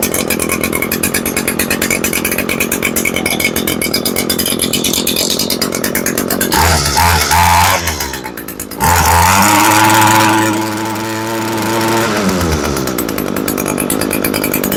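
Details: Echo PE225 edger two-stroke on first test after replacing the fuel line and the carburetor with bad check valves; had bogged at full throttle: fires, sags and nearly stalls, then catches and holds a steady buzzing run without bogging; normal running.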